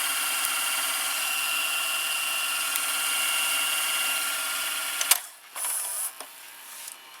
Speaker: very fast for early nineties VCR like this the fast-forward and also it is the same idler as the as my other Toshiba VCR here